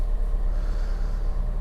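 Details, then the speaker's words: Fiat 500 salvage repair, idle after replacing the earth strap: steady even low idle, no knocks, misses or whine; battery light off, power steering working, earth strap was the fault. "so i started it up and it's all fine it's all absolutely fine battery light's gone off past steering's working fine"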